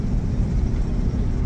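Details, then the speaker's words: RV driving after driveshaft carrier bearing replaced (four mechanics had blamed transmission): steady low road rumble, earlier noise gone; normal driveline sound after repair. "you hear that? No more noise. That's the surprise. Surprise! No more noise. I finally got it fixed."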